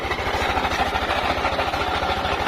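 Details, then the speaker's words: Yamaha NMAX 155 scooter engine at idle, abnormally loud: quick low thump with a loud, rattly clatter; owner checking whether the noise comes from the CVT (panggilid), source not yet found. "at Pakinggan niyo po mabuti yung ating motor at nakakatakot po yung tunog niya para pong mabaklas na po yata yung makina"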